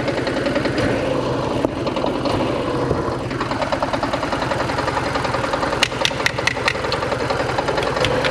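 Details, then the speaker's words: 1987 Porsche 924S after new Bosch fuel pump install: lumpy idle with irregular exhaust stumble, missing hard but cleaning up a little; owner suspects dirty injectors, water temperature rising, oil light flashing despite good pressure. "to it's cleaning up i think a little bit heck yeah"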